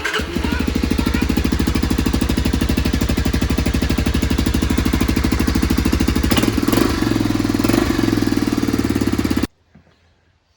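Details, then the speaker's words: 1985 Honda ATC250SX after restoration, exhaust refitted, fuel filter in place, rebuilt carburetor: crisp single-cylinder idle with evenly spaced pulses and a brief throttle blip, then cut off; runs clean and healthy. "that sounded cool okay the exhaust is back on starts up and sounds good"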